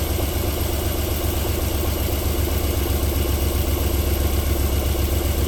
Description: Cold engine start-up idling nicely and silky smooth.